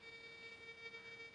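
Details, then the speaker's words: Monero Lejyoner induction balance metal detector, volume at maximum, coil held 5 cm above the ground: steady high bee-like buzz because the threshold knob is set too high and needs backing off slightly. "vızıltısı gibi geliyor bu sesi az bir şey geriye getirdiniz kıstın cihazınız şu an kullanmaya hazır ama bu düğmeyi çok hassas kullanmanız gerekiyor arkadaşlar"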